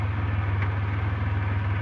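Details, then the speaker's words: Centurion after a fix: touching wires in the O2 sensor harness had made the mixture go extremely lean and stall the idle. It now holds a low, steady, even idle with no misses or surging, running perfectly. "As you can probably hear behind me, the Centurion is sitting here running perfectly."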